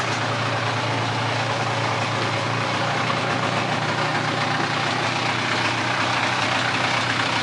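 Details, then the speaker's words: Mid-90s Polaris ATV revived from parts, being ridden: steady busy two-stroke drone under load with no knocks or grinding; engine, transmission and driveline sound good. "Yeah, she rips, buddy. Engine sounds good. Transmission sounds good. Uh, drive line sounds good."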